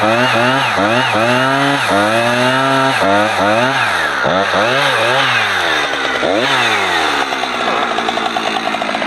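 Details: Husqvarna 455 Rancher chainsaw revs up cleanly and holds strong, steady speed as it bogs into a heavy block of wood and recovers, running properly under load; its earlier power loss when warmed up was blamed on a dirty, discoloured fuel filter.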